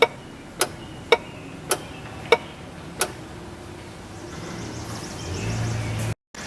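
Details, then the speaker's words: 2006 Chevrolet Impala with EVAP codes P0446, P0451: EVAP vent solenoid by the filler neck in the inner fender, triggered by scan tool, clicks crisply about every half second; circuit likely good, sealing unconfirmed. "it's pretty obvious that it's clicking you know obviously doesn't mean that it's sealing uh but it does tell us that the you know the circuit running back there is more than likely good"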